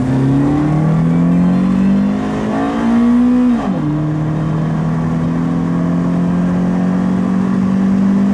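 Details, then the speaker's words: Toyota Celica GT-S with new Injen IS2045P short ram intake, TRD exhaust and new spark plugs, warmed up, window down, alternator whine audible: note climbs smoothly, dips at the gearchange, then pulls again with a clean, throaty intake sound; healthy. "but you can hear the intake, and well, you can hear mostly my exhaust, which is the TRD exhaust."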